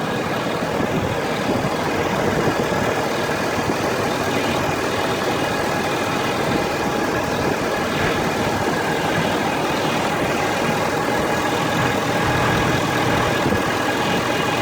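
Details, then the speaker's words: Ford F350 diesel truck at warm idle, engine and transmission warmed up: faint constant high whine over the clatter, heard from the top of the engine near a black box, driver's side or center; dealer blames transmission, cause not found. "This is the noise the truck's making, and I took it to the Ford dealer in Colorado Springs. They're trying to say it's the transmission, but the noise is coming from the top of the engine over here."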